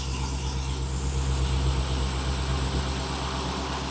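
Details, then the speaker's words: 2020 Ford F53 motorhome chassis, 7.3 V8, idling low and lumpy, shaking with check engine light on; misfire codes P0304 and P0308, already seen by several dealers. "Ahí está checking el es on y el motor está shaky está temblando pueden ver"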